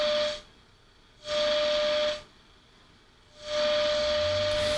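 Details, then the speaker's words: 1940s Forestry Service radio receiver at reduced line voltage, 50 microvolt test signal: clean steady mid-pitched tone in bursts over soft hiss, tone control and gain working; normal reception of test tone. "so it's actually doing pretty good you know there's attenuation in this box as well so it's uh yeah this is the tone control works it does our gain works"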